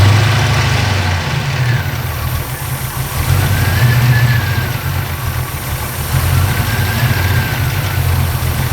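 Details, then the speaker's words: 1940 Ford being parked for winter: low, lumpy idle with a loose, uneven rattle at about four beats a second; owner fears damage already done, source unknown; engine rattle. "So I'll winterize the 40 now, but before I do anything, I will fire it up just so you can hear that rattle."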